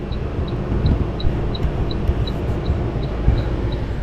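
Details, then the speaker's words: Wine Enthusiast 18-bottle dual-zone thermoelectric wine fridge, model 272031806, dead on power-up: a faint sharp tick repeats about every third of a second under room air-conditioner noise, no fans spin and nothing turns on, indicating power supply ticking. "Oh, it's got that famous ticking sound. I don't know if you can hear that cuz I got the air conditioner running in here, but nothing is turning on."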